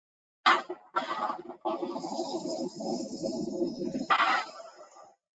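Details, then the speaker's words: Motor brake heard with an ultrasound instrument: a sharp click on engagement, a steady even hiss while running, then a clean click at release. This is normal operation; squealing would mean the brake is out of adjustment. "like that's what it's supposed to sound like so it's supposed to just be a click and then a a a running sound sound and a click the start and stop that's all you hear is a start is a click to start click to stop"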